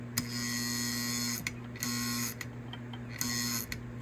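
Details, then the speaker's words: Non-running Lionel postwar 204 Santa Fe Alco diesel locomotive with shell removed: bursts of electric buzz with sharp clicks every second or so and no motor whir. The E-unit cycles but the motor doesn't run, possibly no power reaching it. "As you can hear, the E unit is cycling. Not sure if we're getting power to the motor."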